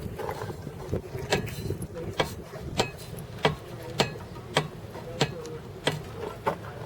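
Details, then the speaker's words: Boat propeller rocked by hand gives sharp metallic clicks or thumps about every half second from a Spurs line cutter near the rudder missing its nylon shock absorber; heard running as clicking at idle. "but the thing making the noise is the nylon shock absorber that goes in there and that nylon shock absorber is missing"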